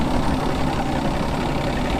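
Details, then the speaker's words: 1988 Evinrude 200hp outboard on a Stratos fish & ski boat, idling in neutral at the marina during a loss-of-power diagnosis: even, steady burble with no misses or knocks over lapping water. It idles smoothly, though the later test run failed. "yeah I think it idles pretty good we can eat you can almost like it's it's perfect right there you know especially back here in the marina"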